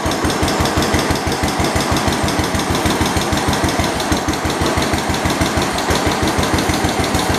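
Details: 1972 Homelite T10 garden tractor engine after revival: a steady, even firing beat of about three per second with no knocks or misses, running healthy, though the generator light stays on and it isn't charging.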